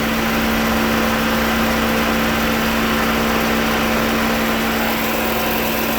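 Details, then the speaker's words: 2009 Dodge Journey with a new radiator, idling. The electric cooling fan runs strong, a steady rushing roar of air pulling a piece of paper against the bumper; normal operation. "Yeah, that fan is moving a lot of air. He's pulling that piece of paper off the bumper right up against it."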